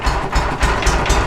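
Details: Walker SuperBee 52 in rear-discharge mower, parked since April, dead battery on jumper pack: starter cranks in pulses about four per second with brief catches, no firing; fuel and ignition issues suspected.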